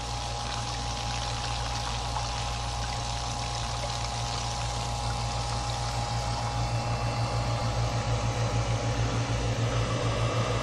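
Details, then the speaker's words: Pump powered by a new 12 V 100 Ah car battery through a 750 W inverter; steady low motor hum under rushing, splashing water as it pumps out the container faster than a garden hose fills it; normal running. "but look how well this works this is what the garden hose I've got water coming into that container and it's pumping it out faster than it comes in"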